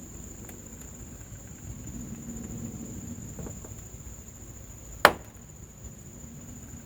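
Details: Bitter SC door (also Senator, Monza A): one sharp, solid knock as the door is worked, faint background hiss; door check strap catch snapping. Mounting nuts tight; movement felt between body link and rivet.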